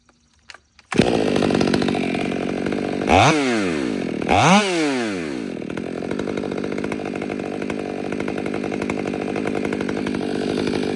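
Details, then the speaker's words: Stihl MS500i chainsaw with new Maxflow aftermarket air filter replacing stock: fires and settles to steady idle, two quick clean revs without stumbling; throttle response snappier than stock filter, which burped for air. "One thing I could tell already is the throttle response seems to be a little more snappy than the stock filter. The stock filter you can almost hear it, you know, burp for air, where this one's like, just like that."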